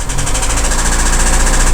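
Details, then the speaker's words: Audi Q3 1.4 TFSI (CZDA, EA211) before overhaul, with knock and oil consumption, heard under the hood: fast, regular light knocking over a rough idle, barely changing with revs, with slight shake and developing misfire; cause not yet found. "вот так вот он тарахтит вот такие вот у нас собственно проблемы стук и масложор"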